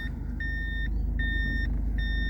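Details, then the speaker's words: 1996 Toyota Hilux Surf SSR-X with a 3RZ 2.7 L four-cylinder and 148,000 km, idling in reverse with steady, high half-second beeps, a normal reverse warning sounding inside the cabin. "as you can hear it beeps at you when you put it in reverse which you might think that's kind of cool let people know that you're backing up"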